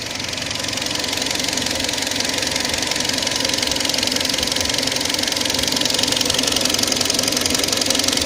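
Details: Kia Sportage 3 engine: a steady ticking knock at about four per second rides over the idle, evenly spaced and persistent; strange engine knock of unknown cause.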